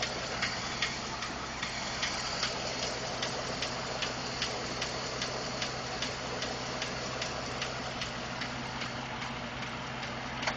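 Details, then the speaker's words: 2012 Ford F-150 5.0 V8, warm idle after running a while: light, fairly regular tick about two to three per second; source unclear, owner told it may be normal injector or fuel pump noise. "Gonna start the truck. It's been running a little while. Gonna hear the ticking"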